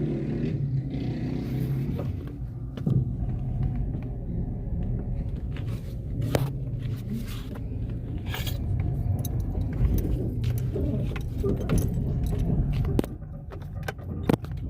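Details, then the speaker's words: Car driving with windows closed: over steady road rumble, scattered sharp knocks and scraping creaks, worse when turning the steering wheel; a worn suspension joint or bushing, noise not reproducible on the lift. "quando você mexe o volante faz mais ainda tipo um rangido"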